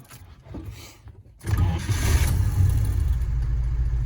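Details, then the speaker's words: Vintage car engine hot start, warm after running: a short crank, then it catches instantly with no stumble or hesitation and settles into a steady, even low rumble. A clean normal hot start, unlike the earlier flooded start that needed longer cranking. "Hear how that was so fast? Like instant start. There was no hesitation at all."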